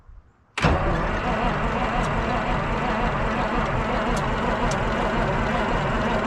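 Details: 1973 Peterbilt 352 cabover, 12V71 Detroit Diesel, sitting since 1986, cranking on 24 volts: sharp starter engagement and a steady roar that never catches; no more smoke, batteries draining; owner suspects fuel starvation.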